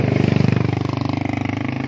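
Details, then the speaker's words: Mercedes C240 diesel: fast, steady clatter at high idle that climbs and won't come down even when idle is lowered, with foul white smoke; blamed on a punctured diaphragm behind the injection pump. "puti ang usok na mabaho at wild nag-wild ng makina kahit ibaba natin ang Menor niyan wild ang andar"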